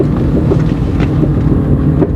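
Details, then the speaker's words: GM Corsa in fourth gear descending slowly at 20 km/h: irregular clicks and pops from the front wheel over low road rumble and wind, continuing in neutral; caused by loose front wheel nuts. "a straw esquisito nesse Corsa mano e ela tá enganado aqui em quarta marcha descendo devagarzinho aqui em Belém 20 por hora e estrala estrala escala muito aqui soltado engrenado eu vou te enganei é"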